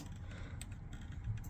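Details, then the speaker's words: Pre-2012 caravan electric fire, safety check: light sharp clicks over a low hum as the thermostat dial is turned, indicating the fire works normally. "that the fire is working on 2,000 Watts on 500 watts we do the same and we should hear it clicking and then on a th000 Watts again we'll move our dial and we should hear that clicking and again that's just a good indicator to begin with that the fire is doing what it should be doing"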